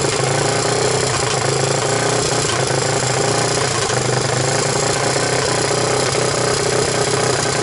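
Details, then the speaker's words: 1998 Honda TRX300EX single, choke on with portable CDI box, running after oiling the intake valve seats to overcome low compression: loud, steady chatter at even speed with no knocks or misses; normal running. "wow it actually sounds pretty good i like it"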